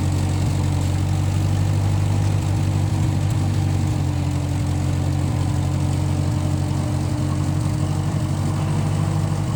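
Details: 1955 Massey Ferguson MF65 tractor, in family 30+ years, restarted after sitting a couple years; carb cleaned, Marvel Schebler carb may need slight dialing in. Steady, even low rumble, smooth unchanging beat, no misses or knocks; normal running.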